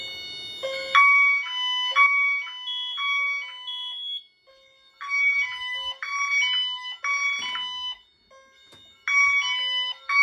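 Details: Honeywell Wave sounder driven by a chime tone driver connected to the LINKS, tripped via smoke detector during fire alarm system test; bright repeating multi-note chime bursts roughly once a second, clean and steady: normal sounder chime tone.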